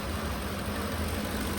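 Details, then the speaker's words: 2010 Ford F-150 with check engine light and camshaft position timing codes, bank 1: rough idle with stumbling exhaust beat and irregular gaps from a misfire; a damaged MAP sensor wire found as a first cause. "It's shaking and misfiring. We're going to be doing diagnostics right now and see if we can solve the problem."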